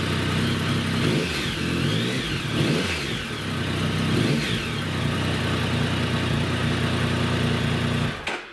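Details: Triumph 1050 Tiger motorcycle, previously reported not starting, primed then started warm: catches straight away, blips up and down a few times, then settles to a steady, even idle; starts and runs normally.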